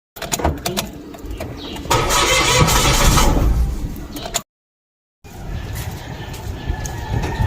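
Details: Mitsubishi Mirage G4: starter churns rapidly, about three and a half beats a second, stops and cranks again, engine never catches: cranks but no start.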